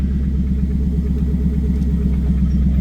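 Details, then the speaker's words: 1990s Pontiac Trans Am WS6, LS1 V8, 6-speed manual, 63,167 miles, cold winter morning: deep, steady idle rumble with even beat, no knocks, ticks or stumbles, about 60 psi oil pressure at idle; normal idle. "But yeah, other than that, a very clean running LS1. Sounds healthy."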